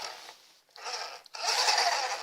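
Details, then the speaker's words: RC car after fitting a new driveshaft, with a sleeve in place of the straight driveshaft, drivetrain spun by hand: high, raspy whirring in short bursts from the motor pinion gear mesh; it turns true with no rubbing. "Oh bah ça va. On entend du bruit mais c'est le pignon moteur. Bon bah ça a l'air de tourner rond. Ça frotte pas."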